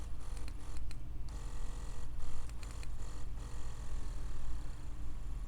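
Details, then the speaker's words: Ambition Sol Nova wireless tattoo machine that periodically cuts out during work: buzzing motor keeps cutting out and restarting every second or so, running in jerks; brushes snagging and shorting on a burnt commutator. "о мотор начинает работать рывками"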